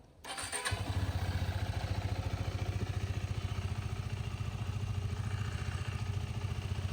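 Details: 2019 KTM RC 390 BS4, 17,423 km, single owner: quick crank catches at once, steady even single-cylinder thump at idle, no knocks or rattles, only slight vibration noted; normal start and idle.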